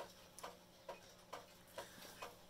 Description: It's really lovely but sadly it's out of beat (I can probably fix that though).